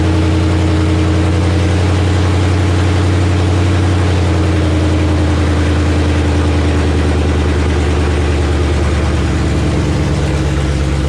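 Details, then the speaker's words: Gen II Coyote V8 with 6R80 transmission from a 2017 Mustang GT, swapped into an '84 Fox body Mustang, on a cold start with no coolant yet: deep, even burble at steady fast idle, no knocks or misses; normal. "Coyote cold start."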